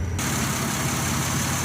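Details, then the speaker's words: Chevy Venture wheelchair van, rebuilt title, 107,000 original miles, AC compressor recently replaced; smooth, steady idle hum with no ticks, misses or surges; slight exhaust leak suspected at startup; engine idling healthy. "You can hear the engine run, it idles smooth."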